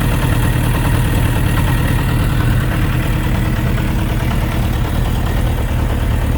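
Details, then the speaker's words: Suzuki RF900 motorcycle idling: dull uneven knock about three beats a second under the exhaust rumble; owner unsure, possibly connecting rod bearing clearance, not confirmed. "okay guys you've heard that uh soundr some sort of a mocking sound when the engine is running I don't know exactly what that could be but uh someone was actually saying that it's a sign of engine knocking"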